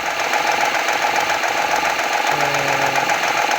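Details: 2014 Honda Accord V6 at cold start; steady light ticking knock over a fast, busy engine, source not pinned down yet.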